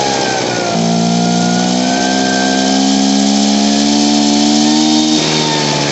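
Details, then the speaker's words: Poulan Pro PR46BT backpack blower with an old carburetor, before adjustment: revs up, hangs in a wavering buzz, then sags and tries to stall near idle; bogs and won't throttle up. "s down near idle, it'll try to stall out. And if I hit gas, it'll bog out. It won't throttle up."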